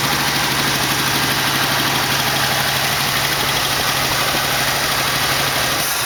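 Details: 1968 AMX with 401 V8 replacing 360 Go Pack, first start after carb work: rough uneven lope with fast light tick; later found a lifter worn so badly it had a hole in the bottom.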